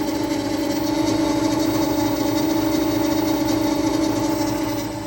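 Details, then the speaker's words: Electric Yacht 10.0 electric motor at about 1000 rpm, nearly silent with the cover on. Steady, even mid-pitched hum with a soft regular ripple, no knocks or grinding: normal electric motor running. "And when I put this on, you don't hear anything, hardly. And then when I take this off, there's the motor. No noises. Running like a champ."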